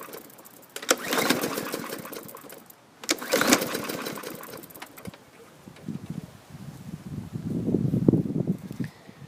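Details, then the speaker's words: 2018 Hyper Tough mower, 300E series 125cc engine, oil overfilled half a quart, fuel present, primed: repeated pull-cord bursts turn it over with compression but it never fires; no spark, coil grounded by safety brake cable. "like it's got compression but no action"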